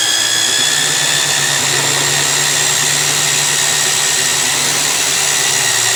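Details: Magnetic drill used like a drill press, drilling steel plate with cooling lube; steady even motor whine with constant cutting hiss, no surging or chatter, normal cutting.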